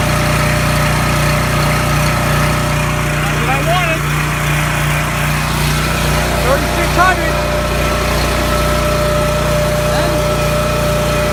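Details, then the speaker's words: Coleman 5,000 W generator with Briggs & Stratton engine, serviced, lubricated and adjusted after governor replacement (part 277-42201-33), rpm checked with tachometer: steady even drone at constant speed, no hunting or surging; normal governed run. "all right so now we have any 5,000 watt generator not only is it serviced it's a hundred percent adjusted and it's working absolutely beautiful"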